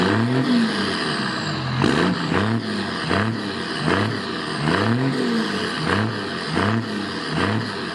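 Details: 2002 Dodge Ram 2500 5.9 24v Cummins turbo diesel, aftermarket air filter, 3-inch straight pipe, tripod behind tailpipes: loud diesel blipped about every three-quarters second, each rev rising and falling cleanly; healthy, nothing abnormal.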